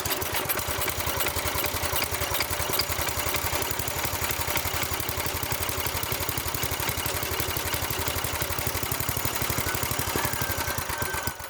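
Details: Small single-cylinder tiller engine running in neutral after about 20 years sitting, once fuel was added; fast, even popping at steady speed with light clatter, no misses: normal idle.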